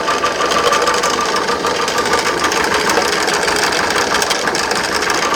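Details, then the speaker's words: 1968 Starcraft Islander boat with Mercruiser 120hp barn find, ignition timing still too high: uneven, irregular tapping clatter at idle; suspected water pump bearing or timing chain, not confirmed. "It's either water pump bearing. You guys can hear that? It's either water pump bearing or timing chain. Yeah, that's not good."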